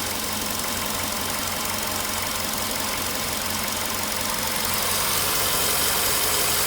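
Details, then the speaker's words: VW Polo Sedan, 99,329 km, idle after about 6 minutes from cold start, not fully warm: steady tapping about three per second returns over uneven shaking idle; loose-sounding noise outside too; cause not pinned down. "Вот сейчас опять начал стучать. Но штормит его сильно."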